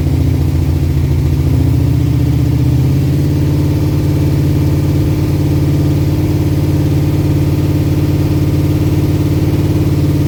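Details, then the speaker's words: Holden VK Commodore with freshly built 355 stroker V8, first start: deep, even burble held at fast idle above 2000 rpm for cam break-in per manufacturer spec (about 25 minutes); started straight away with instant oil pressure, no knocks or misses; normal running. "Just went through and just ran the cam in to the manufacturer's specifications, which is about 25 minutes, 2000 RPM, and just fluctuating a bit up and down a little bit, keeping above 2000 RPM."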